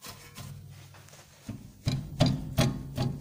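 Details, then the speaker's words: Nissan Maxima rear suspension rattling over small bumps: loose metallic clunks as the rear brake pad knocks in its caliper bracket; pad loose in the caliper bracket. "а дребезг этот идет от колодок вот сейчас я покажу как колодки у нас болтается"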